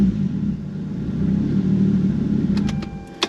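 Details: Toyota Supra 2JZ-GT non-VVT-i just fired up on a newly uploaded base tune with sensors and injectors set up, awaiting dyno; even low hum at steady idle, no miss or knock, a few handling clicks; healthy running.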